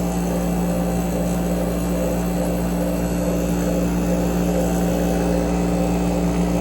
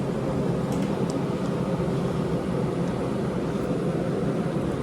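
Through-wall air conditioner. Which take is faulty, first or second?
first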